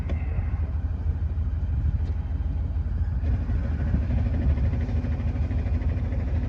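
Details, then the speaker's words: '96 Chevy tow rig; transmission let loose on the highway, truck lurched and free revved: heavy low rumble with uneven rattling churn, about three per second, in gear, like bolts in a blender. "when you try to put it in gear, it sounds like bolts in a blender."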